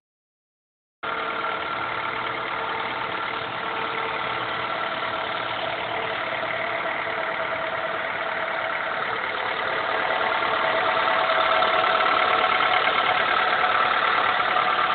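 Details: 2000 Honda Accord, F23A1 block, 167k: cold-start idle with a steady regular knock about three beats a second, heard only between idle and 2k rpm when cold; owner suspects rocker arms/camshafts or a rod knock.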